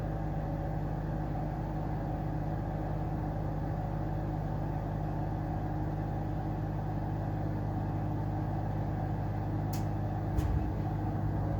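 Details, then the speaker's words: Amana 95 IIQ two-stage variable-speed gas furnace start-up on heat call, variable-speed draft inducer runs high for initialization: low steady even hum, no scraping, banging or squeal; fans come up smoothly, normal. "When the furnace, when it calls for heating, you'll hear a fan kick on, that's going to be your draft inducer. It's also variable speed, just like the main blower. It'll kick on to high for like initialization, make sure everything's working properly there."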